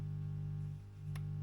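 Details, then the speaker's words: Stromberg Carlson AU57 tube PA being converted for guitar, running stable with one channel's volume turned down. A steady low buzz holds constant with no playing, dipping briefly once. Mains hum; owner suspects a ground loop, possibly missing screened cable. "We've still got, I think we've got a ground loop somewhere."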